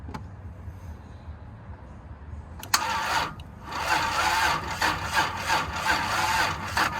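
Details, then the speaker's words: 1992 Toyota Supra MK3 left sitting over 20 years, weak battery with booster cables: starter turns engine in even pulses about three per second with no skips; compression sounds even, normal cranking. "sounds like it's got compression yeah it does"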